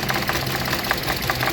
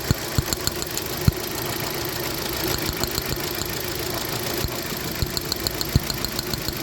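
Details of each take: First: 2015 Hyundai Accent four-cylinder petrol, no fault codes: rough, lumpy idle stumbling about five times a second, single-cylinder misfire traced to cylinder 3 with scanner and test lamp. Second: 2015 Hyundai Accent petrol that misfired with no stored codes: after a repaired part is refitted, the engine idles steadily and evenly with no misfire stumble, only faint light ticking.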